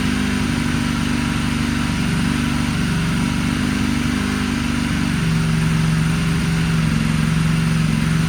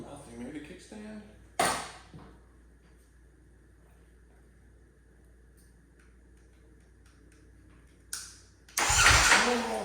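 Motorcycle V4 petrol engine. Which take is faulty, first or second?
second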